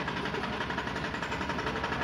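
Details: Maruti Suzuki Alto 800 commercial with a harsh noise from inside the engine: a steady, rhythmic deep knock tracks engine rotation at idle. Suspected connecting rod; with the oil sump opened, the connecting rod bearings were found cut and worn through, blamed on oil changes not done on time.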